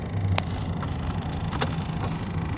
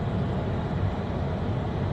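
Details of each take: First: 1997 Vectra B interior blower fan: soft, uneven flicking and scraping over the steady fan hum when switched on; a leaf caught in the blower wheel is making the noise. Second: 1997 Opel Vectra B cabin blower at maximum speed after removing a leaf stuck in the fan, which had caused the noise; now a steady, low whoosh and hum with no rattles or ticking.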